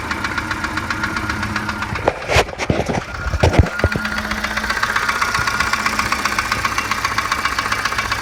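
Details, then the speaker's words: 1987 Volvo 740 Turbo running on three plugs due to a faulty plug wire: idle with steady bottom-end knock near four a second, uneven beat, louder at oil pan than valve cover; shop said piston slap, cause unclear. "it seems like the knock is a lot louder coming from the oil pan than from the valve cover up here"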